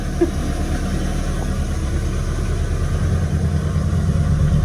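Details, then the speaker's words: Ford Escort XR3i rough runner idling: low, steady idle holding on its own with an even beat and no dips or stalling; normal idle. "But as you can see, even though it was kind of struggling, it started and it's running on its own steam. So we're going to class that as a win."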